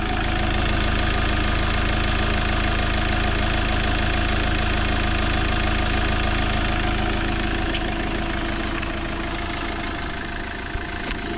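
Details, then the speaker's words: 2007 Fiat Ducato 2.3 Multijet diesel (F1AE0481D), 304,000 km, timing kit replaced, 6-speed manual: steady even diesel clatter and smooth low drone at idle, no vibration or shaking; normal diesel idle. "Măcar vibrații nu are motorul, trepidații."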